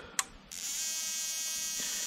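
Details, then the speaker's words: Denso U-groove spark plug firing in an ANCEL SP02 spark plug tester at 6,000 RPM, out of the engine with no compression: sharp snap then steady, even high electric buzz of rapid sparking, unbroken; plug fires cleanly, normal. "there at 6,000 RPM plug's not having any problem at all firing now obviously this is not under compression so when it's in an engine you're going to have compression"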